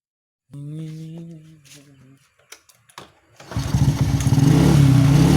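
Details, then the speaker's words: Supra X125 that had already burned out two CDIs, test run with a Jupiter regulator and Shogun 110 CDI plugged in without cutting wires. After a couple of cranking attempts it settles into a steady idle and revs without hesitation: normal idle and revving. "Oke, teman-teman. Ini berfungsi dengan sempurna, teman-teman. Suara mesin saat idle terdengar bagus dan tidak tersendat pada putaran tinggi."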